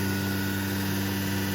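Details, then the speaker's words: Becker VTLF 2.250 dry rotary vane vacuum pump on a CNC router, deadheaded at full load with relief valve open to prevent overheating; steady even hum with airy hiss, no rattles or grinding, sounds very strong and pulls lots of vacuum. "that's working good you can see under full load this vacuum pump still sounds very good very strong and pulls a lot of vacuum"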